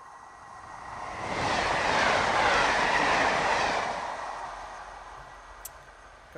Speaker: rolling noise is the noise you get when the wheel rolls along on the rail